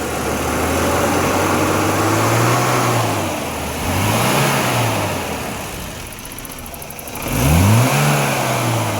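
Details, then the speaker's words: BMW E30 M10 engine after misfire repair; even idle, climbs smoothly through several blips and settles clean, no misfire, stable at all rpm. Normal running. "Mesin normal, stabil di semua RPM."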